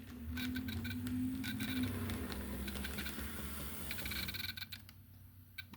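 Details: Pennsylvania Railroad Doodlebug model locomotive on test track after DCC install and pin plug fix: smooth low motor hum, light even track-joint clicking, earlier thumping gone; motor runs normally.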